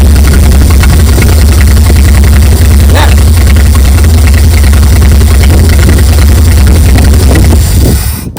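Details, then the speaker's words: 1959 GMC 100 truck after 30+ years in a field; deep steady rumble with firm even beat holding up as throttle is given, running cleanly and healthy. "This thing is doing awesome. Wow. Love it."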